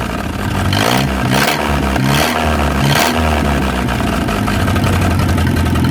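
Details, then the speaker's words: 1937 Willys flathead four revived after 25+ years in the woods: steady idle with throttle blips, no knocking, only a faint light valve tick; runs healthy. "That thing runs like a brand new one. There ain't no knocking, you can just barely hear the valves ticking just a little bit."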